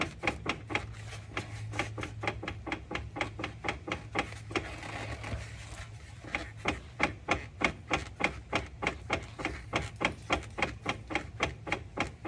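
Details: 2010 Infiniti FX35 AWD, 140k miles, clunks when decelerating at low speed with downshifts and on Drive/Reverse shifts, possibly worse since a polyurethane rear subframe bushing: driveshaft at transfer case output and wheels rocked by hand give rapid steady wooden clunks, driveline play.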